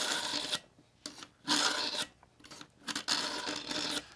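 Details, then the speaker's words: Work Sharp Pivot knife sharpener, coarse carbide slot, lifting blade while pulling back: rough dry rasping strokes every second or two like a file on steel, fading as more passes are made; normal sharpening. "as i'm pulling back i'm lifting up on the blade and listen to the sound sound like a file going across metal"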